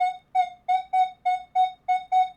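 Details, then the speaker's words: Minelab Manticore with Stabiliser 4 and filter on, nail touching and right on top of a quarter: crisp mid-pitched beeps about three a second, clean and unbroken. Stabiliser doesn't degrade the signal; the coin still signals clearly. "a nail touching and right on top of the quarter, Stabiliser is not affecting the signal. The quarter is saving us from having Stabiliser degrade the audio on that nail."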